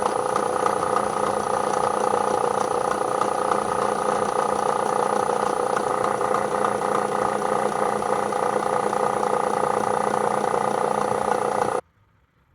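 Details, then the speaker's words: Bridgeport milling machine head, run in low and high range: steady motor hum with a regular light clunk about three per second. Owner suspects a motor bearing or the drive system, not confirmed. "right that was low range and high range and as you can clear as you can clearly hear there's some clunking going around in here so we'll figure that out first"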